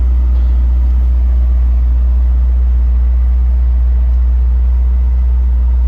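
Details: 2002 Chevrolet Corvette C5 Z06, stock LS6 5.7L aluminum-block V8, just started: deep steady idle rumble, no weird noises, lifter tick or rod knock. Normal idle.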